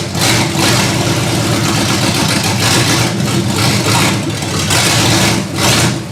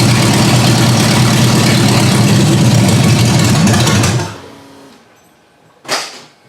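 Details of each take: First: Ford Granada V8 after sitting, open headers: loud raw idle surging and sagging about every second instead of holding steady; rough idle, cause unconfirmed. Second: Ford Granada, first run after suspension and brake work, idle speed raised and mixture screws backed out; steady, even low idle at about four beats a second, running on its own, then switched off. Normal idle.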